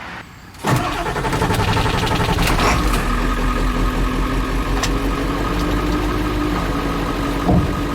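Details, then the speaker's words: 1995 Ford F-series 7.3 Powerstroke diesel, crank-no-start after sitting two months: catches after a brief crank and settles into a steady, even low-rumble idle; fixed, the injector driver module was the issue. "so right there i hope you guys can hear that the truck is definitely running so right there guys the truck is running"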